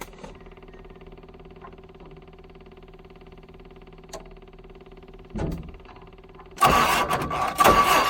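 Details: Hesston 620 swather diesel, sat about 10 years in the bushes, fuel pump hooked up; a faint hum, short crank, then it catches without ether and settles into a loud, steady run, a healthy start.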